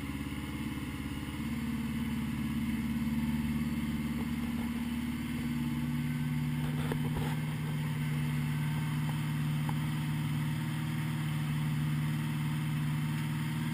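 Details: 1980 Honda GL1100 flat-four after a rebuild, slightly cold start at 54 degrees with carbs synchronised; even, steady low burble settling smoothly with no misses or hunting, normal balanced idle.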